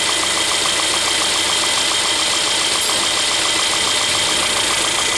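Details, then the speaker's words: Mercedes A200 1.6 turbo at idle: steady hiss with a fast, uneven chirping whir from the worn water pump bearing, a noise at the pump pulley deep in the engine bay. "Mateus dá partida pra gente por favor escutou o barulho ó tem um barulhinho nela aí ó beleza sente um ruído nela aí ó"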